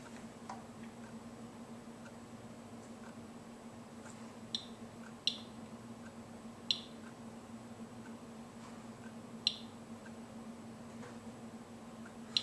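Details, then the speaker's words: Geiger counter taking a background reading while checking rocks: sparse, irregular sharp clicks, about one every second or two in a quiet room; small pulses of ticks mean little, just a normal background count. "small pulses of ticks are not indicative of very much of anything ignore them wait for a moment and see if you get more"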